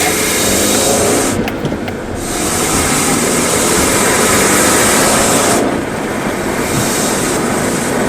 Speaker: Y este disco se desgasta y se le acaba la pasta, haciendo que queden libre los pernos y friccionen con el volante de inercia, haciendo que pegue metal con metal.